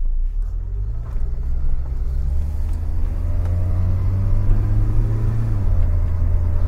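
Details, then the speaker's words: Mk2 Golf with Weber carburettor conversion, after fixing the intake manifold gasket, pulling up a steep hill: engine note climbs smoothly and evenly with no hesitation, popping or stumbling; alternator belt squeaking also noted. "oh yeah it's pulling really well driving lovely"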